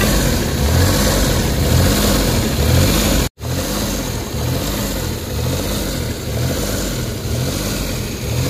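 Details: Suzuki DA17 warmed up after a few minutes: idle rises and drops every second or so in an uneven rhythm; engine hunting with no fault code stored.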